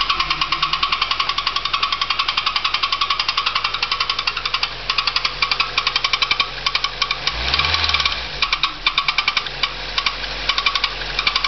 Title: Nissan Primera bad engine noise